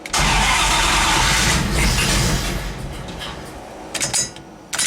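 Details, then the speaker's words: Turbo 5.2 V8-swapped Dodge Dakota, first start with a new homemade turbo exhaust, fans wired always on and the O2 sensor unplugged: it catches roughly, fades without a steady idle, then pops sharply. Hard start from ignition timing way off, firing too early. "sounds like the timing is way way off on it like it's firing too early so I'm gonna have to look into that"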